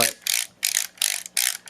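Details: Craftsman multimeter, believed from 1999, after teardown fixing dial pads not contacting the board: crisp ratcheting clicks in about five quick bursts as the dial turns, each detent distinct, still slightly stiff; rotary switch now works properly.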